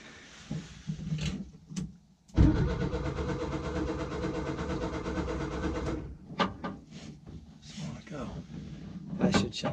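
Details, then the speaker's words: 1966 VW Westfalia split-window bus, cylinders previously oiled, first start attempt after 30+ years sitting, with fuel in: starter churns steadily about four seconds without a single firing stroke; no spark suspected. "all right you ready I don't think she's getting I don't think she's sparking"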